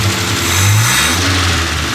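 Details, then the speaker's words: Austin Devon A40 restomod with a Weber progressive two-barrel carburetor, accelerated gently to avoid its off-idle hesitation: revs climb cleanly with no bog; smooth acceleration. "fine and this is actually a progressive type carburetor it has two barrels most of the operation is off of one of the barrels but when you accelerate hard enough it will open"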